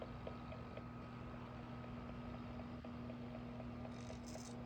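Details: AC Infinity Cloudray S6 fan, silent at first and knocking since two weeks of use, oscillating: faint motor hum with light steady tick about four per second throughout rotation; knocking in oscillation mechanism, cause uncertain.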